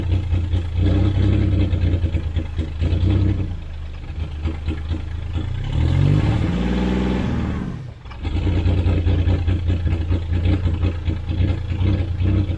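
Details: 1991 GMC Sierra 4.3 Vortec after new distributor and fuel pump, fuel pressure confirmed: engine catches and settles into steady low idle with brief rev around six seconds; smooth, even, normal idle.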